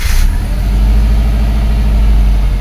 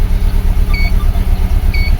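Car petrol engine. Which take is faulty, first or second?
second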